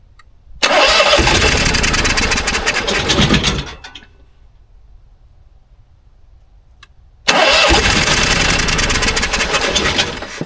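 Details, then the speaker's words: Fifteen-year-old Onan 5500 RV generator, sat unused at least six years with bad gas. Two bursts of steady cranking about three seconds each, but it never catches. The owner suspects the five-gallon fuel supply isn't giving enough pressure. "it wants to run it wants to run I'm just not able to make it run"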